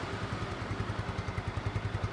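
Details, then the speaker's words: 2010 Yamaha Mio scooter, 10-year-old engine, after first teardown, with plug and intake bolt threads re-tapped and plug and filter cleaned: steady even low putter at idle, no misses, rattles or exhaust leaks; smooth, healthy idle. "Suaranya padat lagi, padat, mantep, lembut, adem, tapi garing gitu, nggak ada bocor-bocor. Mesinnya juga halus."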